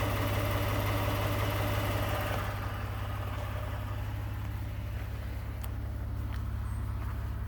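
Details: 2018 Ford F-150, 2nd-gen 3.5 EcoBoost V6, 29K miles: steady idle with a fairly even knock about three a second and a light rattle on top; owner notes startup cam phaser rattle is common on this engine; cause not confirmed.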